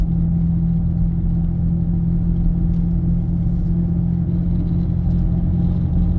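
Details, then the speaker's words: 2006 Ford Freestyle on a road drive: a steady low droning roar at speed from the right front wheel bearing. It gets louder drifting left and lighter turning right. Worn front wheel bearing. "That's the wheel bearing. Sounds like it's right front. It's pretty loud."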